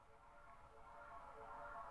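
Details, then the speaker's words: Brand-new Yamaha DZR15 powered speaker, about two months old, gain at 12 o'clock, fed by XLR from a Yamaha mixer with nothing playing: low hum and rough repeating buzz slowly swelling, louder from the front; electrical interference suspected, source unclear. "so I'm just going to turn on this link in here there's a very Audible repeating sound"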